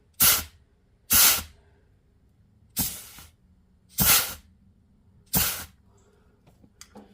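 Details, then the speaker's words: Chrysler A-518/46RH (727 overdrive) automatic transmission from a 1992 Dodge W250 4x4, direct drive clutch pack bench-tested at about 75 psi air: short sharp hisses that cut off cleanly, with seals holding and no leaks, which is normal. "there's no air leaking what you hear that air coming out is because it has nowhere else to go so it's slipping past here and that's exactly how it should"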